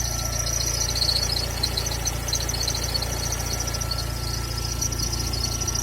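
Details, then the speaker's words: Recently bought VW Gol G3 Power 1.0 16V: engine hum with a thin steady whistle and faint raspy scratching; owner suspects a rotating part inside, mechanics disagree; scraping source unconfirmed. "Um barulho de coisa arranhando. E eu tô preocupado com o que deve ser agora."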